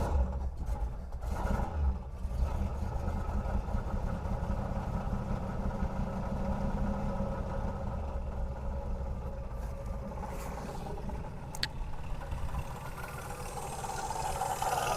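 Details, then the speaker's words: 1973 Pontiac LeMans V8 at idle on its first start, with oil in it but no coolant and no fan fitted. A light, quick rattle of about four per second over a quiet idle. The loose front water pump pulley rattles; the engine itself is not knocking. "Yeah, the noise is from the front pulley of the water pump that is loose. So, the engine is not knocking at all."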